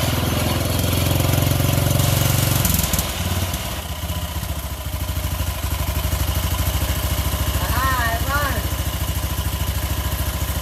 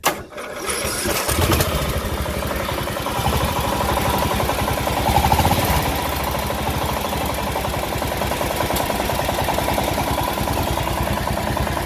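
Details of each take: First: Craftsman LT1000 mower after swapping in a Briggs single believed to be 16.5 hp, with the old carburetor, started on choke; it catches and settles into an even, steady thump with no knock, sounding better than the old motor. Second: Craftsman LT1000 riding mower's 17.5 hp Briggs OHV engine, about to be swapped out, runs with a heavy, repeated knocking hammering through each revolution; really bad rod knock, though it otherwise runs fine.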